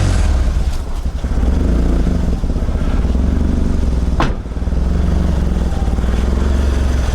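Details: Mitsubishi Lancer CE two-door coupe, first start after reassembly and battery reconnection: low, lumpy idle with uneven pulses and the odd stumble, seeming rougher than before; owner unsure if improved.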